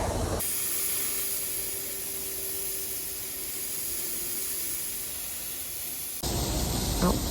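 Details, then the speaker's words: In-ground sprinkler lines being blown out with air in the fall, in the cold, so they won't freeze: a steady, dry air hiss with no gurgling or spitting; the lines have run out of water. "it's quiet sounds like a run out of water that's good"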